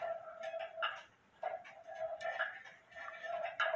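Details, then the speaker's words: Hamilton Westminster-chime grandfather clock after adjusting the crutch: crisp ticks roughly every three quarters of a second, tick and tock evenly spaced in a quiet room; the movement is in beat. "you can also adjust the system lry by holding onto the Birch and then push the the crutch one way or the other it ticks there and it ticks there"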